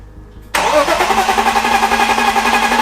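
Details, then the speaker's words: BMW E36 328i, 2.8 L six-cylinder, abandoned 7 years: starter spins the engine briskly with even compression pulses about four a second but it never fires; crank-no-start. "That was really close again. But no matter how many times I tried, it just didn't want to start. It's good news that the engine's turning over."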